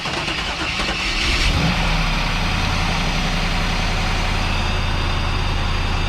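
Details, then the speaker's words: First start after fitting brand-new injectors and priming the fuel rails: starter whirr, then the engine fires and settles into an even, steady idle with no misfire or knock; it's a runner. "it's a runner"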